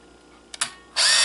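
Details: Kodak KC30 35mm camera during a flash photoresistor test under phone light: two crisp shutter clicks then a steady high motor whirr as film winds on; normal shutter and advance.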